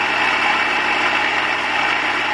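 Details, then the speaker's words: 2001 Kia Sportage rear-wheel drive jacked up, in Drive with wheels turning, recorded underneath: steady, dry rushing scrape that holds constant while the shaft turns, no engine beat; worn driveshaft center support bearing. "I'm going to put it in drive just let it turn you can already hear [Applause] it so here down underneath the car that's where the noise is coming"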